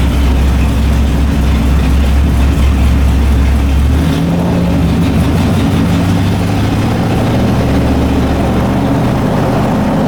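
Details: LS1 V8 in a BMW E30, just fitted with a new MSD 6014 box replacing the 6010, first start: uneven lumpy rough idle; cause not found.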